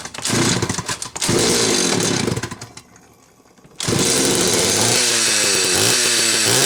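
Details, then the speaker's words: Late-'80s/early-'90s Homelite 330 two-stroke chainsaw after new hoses, carb kit and tank duckbill valve, following storage. Buzzes at high revs, drops briefly, then picks straight back up and holds a steady, healthy run. "It's been sitting for a while, but I believe she'll start right up."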